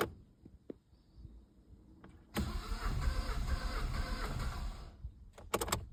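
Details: Opel Astra H 1.7 diesel: starter cranks steadily about two and a half seconds with even churning beat but engine never catches; crank no start.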